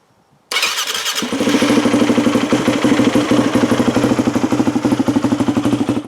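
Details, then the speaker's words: 4-stroke dirt bike carburettor, engine warm, fuel screw at 3 turns out (richest): fires quickly, fast idle with steady pops about three per second; pilot jet too lean, or possibly dirty/clogged from sitting. "Well, since I had the fuel screw just now set at 3 turns out, that's about as rich as I want to go. That means this pilot jet is too lean."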